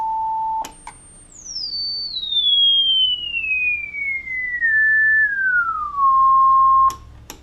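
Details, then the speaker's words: Philco 41-280 field-coil speaker, field coil fed about 180 V DC, audio generator sweep: a clean single tone glides smoothly from high to mid pitch with no buzz, rattle or breakup; speaker is fine. "sounds like this speaker is actually uh going to be just fine"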